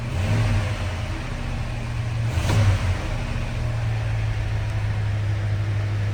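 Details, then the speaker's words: 1977 Ford F-100 Custom, 302 V8, started after a pump or two of the pedal: strong low burble, steady and even, with smooth rise when revved after start-up; healthy engine. "Now I'll put the key in and give it a pump or two. We'll fire it up. Nice, reliable, strong 302."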